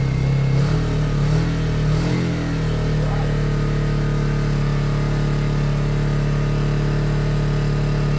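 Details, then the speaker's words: Lexmoto Michigan 125cc single-cylinder motorcycle after an ignition fix, with a carb that is not new or clean: steady, even low thump with no misses, ticks or rattles. Normal running. "It doesn't go off, but I don't like that. That is a smooth bike, and that's with a carb that's not new or clean."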